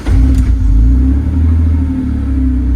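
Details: BMW E46 323i, M52 engine, long-running crank no-start: with the mass air flow sensor unplugged it catches at once and holds a steady, slightly lumpy idle, so the air flow sensor itself is bad.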